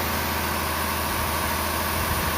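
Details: 1998 Ford 5.4 Triton two-valve V8 pickup, running issue with no codes blamed on a bad coil, now repaired: catches quickly and settles into a steady, even idle, no stumble or miss in the low rumble; normal idle.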